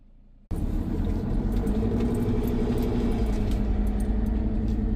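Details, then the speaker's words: Dodge/Mercedes Sprinter diesel van on test drive under load, lacking power: steady whistle over diesel drone and road rumble, an audible air leak. "I don't know if you guys can hear that, but something is definitely leaking. We're going to take it around the block, too, but I'm definitely hearing an air leak here."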